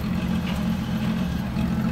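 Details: 1965 Ford Mustang coupe, inline six, automatic, during an inspection in Oregon: a short stretch of smooth, even, low idle rumble with no ticks, misses or whine; the six idles cleanly.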